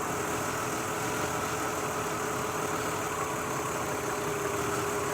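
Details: 2003 Mazda Tribute 6-cylinder at idle: steady idle with a faint uneven stumble, one cylinder missing; oil from leaking valve cover gaskets in plug wells makes coils arc, fix is new valve cover gaskets.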